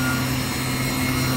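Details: PM25 CNC mill spindle with new oil-mist-lubricated bearings, on for 20 minutes, at 4000 rpm, 4.1 A, 95 degrees, 5 degrees over ambient: constant smooth hum with no grinding, rumble or rising whine; bearings healthy.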